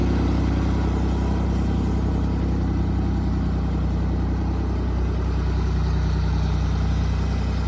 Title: Test run after springtime maintenance and a few repairs to our 1979 Ford 340 Industrial Tractor.